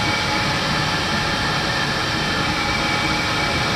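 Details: 5 kW diesel heater installed under kitchen of 28 ft motorhome, replacing LP furnace, running at highest setting: steady even roar and hiss, no surging, knocking or rattle; loud but not unbearable, burning cleanly at full output.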